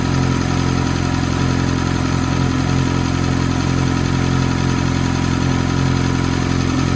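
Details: F430 V8 at cold idle: a quick, even, light tick of about four per second rides over the steady idle; the source of the tick is unclear.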